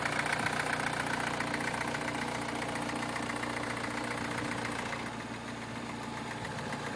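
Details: 2009 MINI Cooper S direct-injection engine, about 25k miles, cold start at about 35°F: a busy metallic timing chain rattle at idle from a slack chain, caused by the tensioner. Tensioner, chain and guide rails were replaced under warranty.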